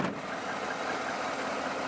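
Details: 2013 Chevy Silverado petrol pickup with suspected dead battery or bad ground, now fitted with an 800 cold-cranking-amp battery: smooth, even idle with no misses, knocks or stumbles; running normally.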